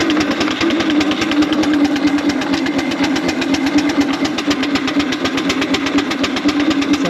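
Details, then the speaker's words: 4-inch Foster steam traction engine, first drive under steam after boiler work, winter steam test: crisp, even chuffs over a steady hiss and hum, with the rhythm holding firm as it pulls; running well under load. "first time she's driven under Steam for a while I won't get all angle the seat but look good she's running really [Applause] well just power up into big wheel just pull in that 60"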